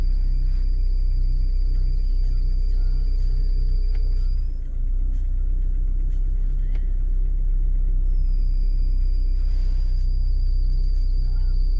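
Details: Lada Vesta NG at idle in sub-zero weather with the windscreen heater switched on: a thin high squeal over the idle rumble fades for a few seconds, then returns steady, the accessory belt slipping under load.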